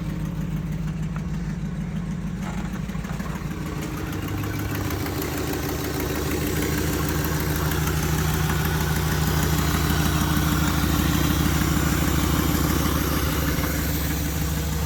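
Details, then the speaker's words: Mercury Grand Marquis V8 with 171k, running after a jump start with two packs: a deep, even idle with a steady low rumble and no misses or knocks. A normal idle. "still going just purring drive her home"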